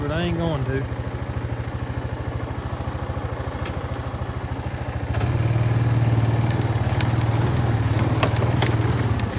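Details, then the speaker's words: Kawasaki Bayou 220 barn-find ATV after carburetor cleaning, new battery, oil and air filters, straightened racks, rear right wheel bearing, seal and drum brakes: even single-cylinder idle putter picking up smoothly under throttle, no knocks or misses; running really good, no issues. "okay well this thing seems to be running really good no issues that I can tell"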